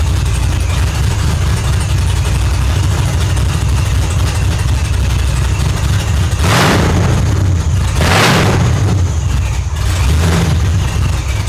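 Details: Holden Ute supercharged V8 (F1A blower), 4L80 transmission, 1 7/8 long-tube headers, Holley Dominator ECU, tune still unfinished: loud deep steady rumble with a couple of quick throttle blips, running strong and even; normal idle and revving.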